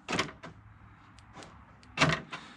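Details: 2011 Ford Expedition door lock actuator after replacement with a Ford part, the old one having stripped internal gears, on final test: quick, crisp lock and unlock clunks with a short motor buzz and no grinding. The actuator works normally.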